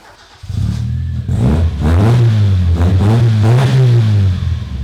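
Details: Toyota Corolla revved with a sparkler in the exhaust to test for flames: clean rev rises, a smooth even exhaust note, no popping. No flames appear because the engine burns its fuel so efficiently that no unburnt fuel reaches the exhaust.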